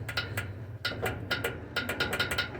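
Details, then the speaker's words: Washing machine door switch checked while still in the unit during a pump replacement: sharp irregular clicks with faint mechanical ticking and no hum; the switch is seated correctly and actuating as it should. "yeah it's setting just perfectly where it needs to be and if you can hear it clicking it means it's working right"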